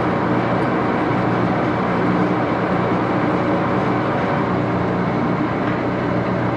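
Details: Axelson 14x30" heavy-duty gear head lathe run through its speeds, headstock filled with AW68 hydraulic oil (about SAE 20); constant even gear whir and hum, noisy but no clunks or grinding; normal running.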